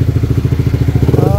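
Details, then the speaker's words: Sniper 155 motorcycle at 19,402 km, idling after the faulty timing chain tensioner was replaced with a manual tensioner: even single-cylinder thumps with no ticking or chain rattle; engine now quiet and healthy. "Pakinggan natin yung tunog kung okay na. Napalitan na ng manual tensioner. Ayan. Pakinggan natin. Ayan, tahimik na mga master."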